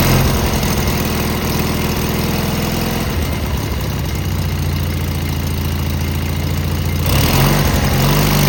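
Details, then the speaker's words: Cub Cadet tractor Kohler KT17 twin after muffler replacement: heavy uneven lumpy idle throb about three to four beats a second, no distinct knock, much quieter; owner dislikes running, carb unchecked, suspects rod may be going. "I'm not sure if this motor's good or not. Uh I didn't quite like the way it ran, but it is much quieter."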